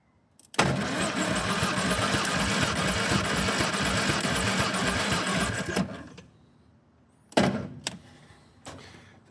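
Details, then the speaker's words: 1958 Morris Minor ute that sat 20 years, cranked during a compression test on cylinder four reading 125. About five seconds of uneven, sluggish cranking without firing; battery suspected to be getting low. "that battery sounds like it's getting a bit low. And that's only 125. I wonder if that's just the battery."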